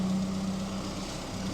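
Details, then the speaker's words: 1981 Ford Fiesta Mk1, 1.1L X-Flow engine, after new water pump and fuel pump gasket fitted: smooth, even low hum at settled idle, no rattle or tick, super quiet, no leaks under fuel pump; normal healthy idle. "Okay then, sports fans, she is running beautiful. Listen to that. Super duper quiet."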